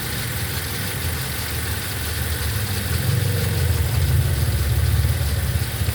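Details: Toyota Avanza gen 3 at idle; an uneven, lumpy idle with an irregular stumble in the low thump, about three and a half pulses a second; a cylinder is misfiring.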